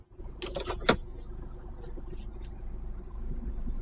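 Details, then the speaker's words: HGV tractor unit coupled to a trailer with the trailer brakes on, doing the tug test: the low diesel rumble labours and swells under load with no clunk or release; the kingpin coupling holds secure. "so pull it let the engine just struggle yeah you know it's not going to come out cuz the trailer brakes are on and you're trying to pull basically that pin out to test it and it's not going to come off which it hasn't happy days"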